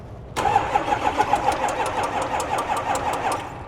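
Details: Ford F350 6.0 diesel with a replacement engine that has a cold-start smoking and no-start problem, cranked via the starter wire with lots of air seen in the fuel: steady starter churn at about five beats per second that never catches. Long, hard crank.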